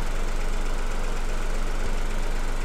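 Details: Petrol engine with coil-on-plug ignition, at idle while coil primary and secondary firing patterns are compared on the oscilloscope. Steady, even low rumble with no misses or knocks. Normal idle.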